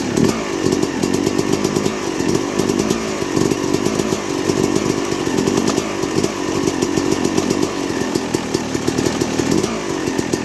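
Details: 2006 Yamaha YZ250 two-stroke, first start after rebuild with new main bearings, seals, OEM piston kit, replated cylinder and chain: crisp buzzy revving up and down cleanly without stumbling; healthy.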